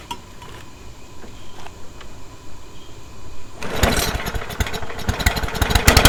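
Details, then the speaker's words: Discarded lawn mower in a will-it-run attempt, with its handle held together: quiet for a few seconds, then the small single catches near four seconds and settles into a busy, slightly uneven run, kicking out a little smoke. "all right it's kicking a little bit of smoke out do you think i can cut some grass with this thing let's find out"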